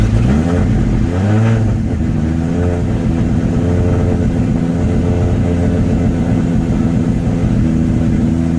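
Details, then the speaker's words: R32 Skyline GTR (620+ whp) just after cold start following new R35 coil stalks and PRP trigger kit install: even, smooth rev rising and settling to steady idle, no popping or skipping beats; no misfire, all cylinders firing cleanly. "But it doesn't sound like it's missing, so that's good."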